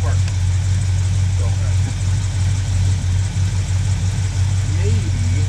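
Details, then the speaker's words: 1976 Ford F250 V8, previously seized, freed by soaking cylinders with penetrating oil, on jumper cables: low, uneven, stumbling idle that never settles; getting fuel, possibly a dead cylinder; runs but not firing cleanly yet. "however you can hear it does have life so we should have something going on here tell another video"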